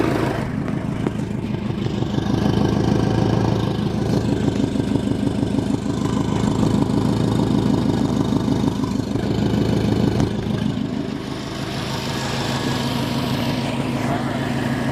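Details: Subaru WRX with FP Blue turbo that spooled about 1000 rpm later than it should during tuning: uneven puffing and ticking over lumpy idle with a brief rev; exhaust leak confirmed, boost leak also suspected.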